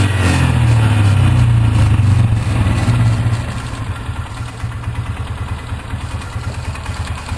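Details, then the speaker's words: 2003 Polaris Ranger 4x4 500 after replacing leaking cam chain tensioner seal and gasket with RTV: even single-cylinder idle thump settling lower after brief higher speed, no misses or knocks; about 10 minutes running, no leaks. "Well, it's been idling now for about 10 minutes. So far, no leaking, no spraying."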